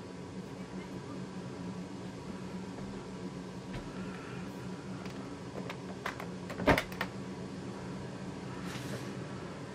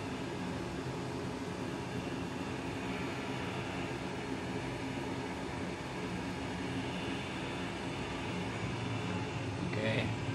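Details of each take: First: Used replacement oil burner, swapped in for an approximately 15-year-old unit with failing bearings, running with a steady low hum and fan rush plus a couple of brief clicks; some air possibly still in the fuel hoses, quieter than the old unit. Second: Home oil burner in a basement, run about 15 years: steady rough rumble with faint whining tones; owner suspects failing bearings or fluid noise, to be swapped for a used lower-hours unit.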